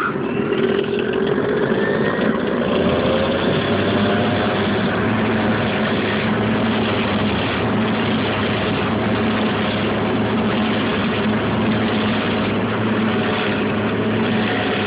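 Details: Dryer noise heard with back access panel removed: loud steady whirring roar and low hum as the drum spins, coming from the belt tensioner/idler pulley area; cause suspected, not confirmed.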